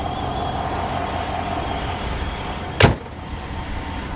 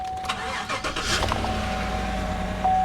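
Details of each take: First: 2016 GMC Denali with the 6.2 V8 at idle: a thin, constant high whistle with a soft hiss from one side of the engine over a steady idle; suspected vacuum leak, not confirmed. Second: Z71 truck at auction with factory exhaust; quick crank then a smooth even idle with no knocks or ticks, a clean healthy start.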